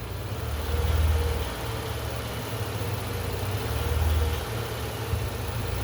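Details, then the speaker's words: Engine running lean with the roughly 1-inch resonator tube pulled off the intake manifold, a large vacuum leak: idle swells and sags about every three seconds, hunting while the ECM compensates and O2 sensors switch lean to rich. "But I don't know if you can hear the engine in the background is surging. Oh, I disconnected the uh resonator tube off the intake manifold. That's about a 1 in diameter tube. So, that's a pretty large vacuum leak."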